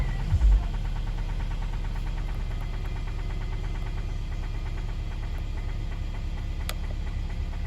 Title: 2017 M270 2.0 engine knock